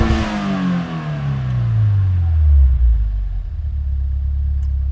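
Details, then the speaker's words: 2015 Subaru WRX, semi-warm, in neutral at about 1,000 rpm idle, after swapping stock bypass valve for TurboXS dual-port 50/50 blow-off valve: rev to about 6,500 then smooth drop back to steady idle without the previous stalling; healthy. "None whatsoever. Perfect."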